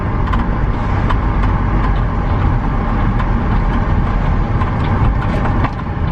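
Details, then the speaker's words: BMW E46 323ci inline-six, after fixing a no-start and misfire fault, driven under load: deep, steady drone with no stumbles or dropouts; running smooth, no misfire. "no misfire you bloody beauty she seems to be round and smooth smooth she seems to be running smooth ads after that trip so happy with that"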